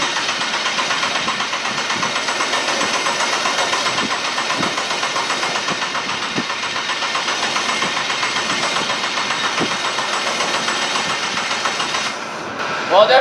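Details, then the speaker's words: RWD Ford Fusion with swapped EcoBoost engine, first start attempt on factory harness: cranks better on jump box but still no start; no fuel delivery with quarter tank, many throttle pedal codes, oil in cylinders; fuel pump relay later jumped. "cranks better definitely still doesn't start"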